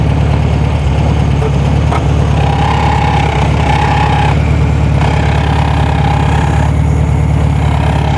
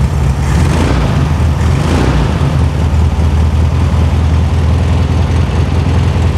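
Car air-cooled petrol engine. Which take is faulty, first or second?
first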